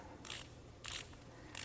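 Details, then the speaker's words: Socket ratchet wrench after disassembly, cleaning and greasing: soft, even muted clicking in short bursts as handle swings back; well lubricated, normal ratchet operation. "any any part that spins against metal against metal so all right nice and quiet"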